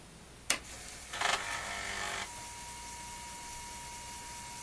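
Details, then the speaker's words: Repaired Atari 1050 floppy disk drive, half-assembled, motor-on signal restored, powered on: sharp click, busy whirring, then steady even motor hum; spins up and appears to load in 800 compatibility mode; repair successful. "the drive came on so now let's see if we can load it works if the option key again to go into 800 Atari 800 compatibility mode and it seems to be loading so I guess we could say that the repair was a success"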